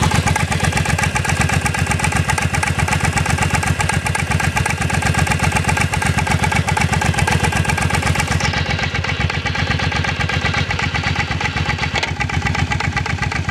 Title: Clunking sound